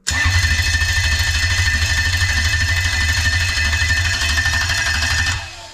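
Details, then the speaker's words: Test engine (3UZ) used to check a new 1996-97 Lexus LS400 1UZ-FE non-VVT-i harness with standard ECU: even rapid whirring crank about three pulses a second for five seconds, then stops; starter circuit okay, fuel pump receiving voltage while cranking. "while i'm cranking it over obviously you'll hear the motor physically cranking over so we know the slider circuit's okay"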